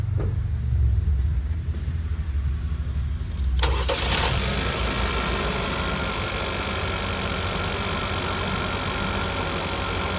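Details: Second-generation Chevrolet Cruze, first start after installing a GM Performance intake: the starter whirs briefly, the engine catches at once and settles into a smooth, steady run with an even intake hum. Normal running.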